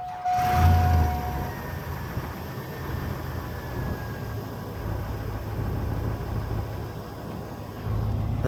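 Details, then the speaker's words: Old GMC Sierra cold start on a 47°F morning: slow, labored cranking that drags before the engine catches; owner suspects the battery; slow cranking on cold start. "Oh yeah. As you can hear, it starts, but as you can hear, it cranks awfully slow. As you can see, it it goes awfully slow."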